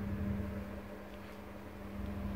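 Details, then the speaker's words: British Gas 29 CC1 boiler showing a flashing C1 fault: on startup only a steady low pump hum, no fan whoosh; the combustion fan has failed. "then it's the fan what's gone so that's what we're going to do next"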